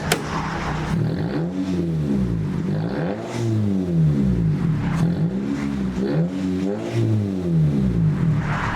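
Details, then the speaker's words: 2005 Toyota Corolla four-cylinder whose muffler rusted off: loud, raw, unmuffled deep drone at startup, rising and falling with repeated revs. The muffler is missing from the exhaust. "unfortunately this car got a muffler delete due to natural rusting and the whole thing just came off so now it kind of sounds like this when you start it up"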